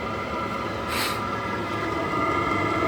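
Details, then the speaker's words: Battery-powered diesel heater at the allotment, just ignited after earlier power problems, lots of heat from the exhaust: even fan whine over a soft burner rush, steady and settled; running normally. "you can hear the fun kicking it up and you can hear everything running nicely"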